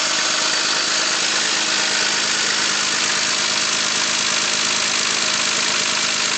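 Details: 2001 BMW X5 engine at idle: fast light ticking of about two or three a second that speeds up with throttle; origin unknown.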